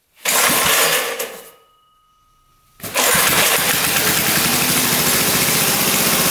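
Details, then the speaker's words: Barn-find minibike's small single-cylinder engine, sat 20-25 years, test ride after valve work (valves had been tight): revs rough and buzzy, cuts out, restarts, holds an uneven drone without pulling hard; still low power, owner suspects scored cylinder wall and low compression. "Alright, unfortunately, it's pretty much doing the same thing. So, it's just lacking power. And I think it's due to the scored cylinder wall."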